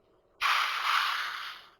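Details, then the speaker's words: New Air Venturi Nomad 2 air compressor: a sudden sharp hiss of escaping air lasts over a second and fades, from a leaking pressure release/bleed valve. "But that's where you're hissing."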